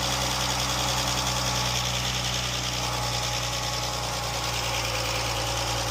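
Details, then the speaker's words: Jeep V6, warmed up after rocker arm and lifter repair for top-end ticking: smooth, even idle with a steady low hum and no ticking or tapping; fixed. "I don't hear any ticking. Alright, this is how it sounds now. It's all warmed up."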